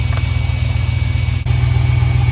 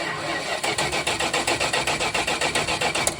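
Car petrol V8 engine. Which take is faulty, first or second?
first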